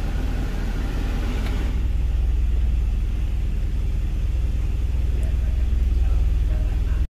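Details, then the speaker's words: Hyundai Sonata with an added exhaust cutout valve; when it is opened the flow bypasses the standard path, giving a deep, throaty, loud open idle burble with a steady low pulse around four per second; exhaust cutout valve open, loud exhaust. "lah sini kalau dia buka masuk ke jalur ini jalur ini itu jalur standar yang ini tapi kalau itunya ditutup yang sebelah sini ditutup otomatis aliran udaranya ke sini Jadi yang ini yang bunyinya Gitu Bos"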